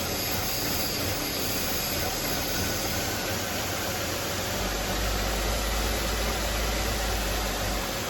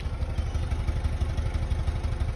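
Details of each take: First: 2004 Buick LeSabre on final test drive after misfire repair, new belt, battery and thermostat, warm with normal coolant temp; steady, even engine note under road and wind noise, no stumbles, check engine light gone. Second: 2004 Buick LeSabre, about 150,000 miles, idling at the tailpipe with a steady, uneven chuff about six times a second, a misfire blamed on a failing ignition module.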